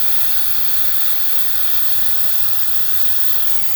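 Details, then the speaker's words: Chevrolet Silverado 3.0L Duramax diesel, refilling coolant after coolant control valve replacement: steady loud hiss, no change in pitch, as the air-driven vacuum filler pulls vacuum on the cooling system toward about 25 before air shutoff and leak check; normal vacuum pull. "Now we're pulling vacuum. All right. So we'll get that up to probably about 25."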